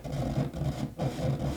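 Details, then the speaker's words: Lafayette LR-910 receiver, stored 29 years in a crawlspace, first power-up with speakers and no antenna: scratchy, uneven crackling bursts come and go as the dial turns over a low hum. Dirty tuner capacitor needing cleaning. "You hear all that? You hear that? That's a dirty tuner cap. So, we'll have to clean the tuner cap."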